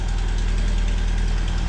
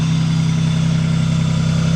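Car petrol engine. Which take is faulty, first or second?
first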